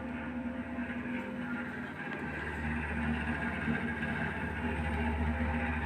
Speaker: Boy, that's really noisy though. Computer is turning on. Hear the noise. It's pretty noisy.